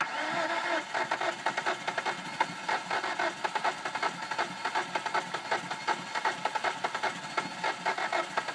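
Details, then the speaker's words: 2005 Hyundai Sonata 2.4 L DOHC after timing belt replacement (belt stripped teeth, bent exhaust valves): long even cranking without catching, hard start; also won't hold low idle, carbon on new plugs, fuel smell in oil. "it will sometimes start but it is not as you can see it's trying to start here so we'll try to start it one more time see if we can get it to run"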